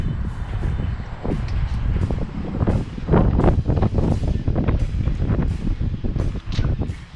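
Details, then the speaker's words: 1994-98 Ford Mustang after crank-no-start fix (anti-theft light blinking, suspected bad gas fouling plugs, blown intake and mass airflow sensor replaced, broken vacuum lines fixed): low, steady rumble under wind noise, no stumbling; smooth normal idle, not yet tested in gear. "i mean it's smooth at idle but i haven't tried it out in gear or anything"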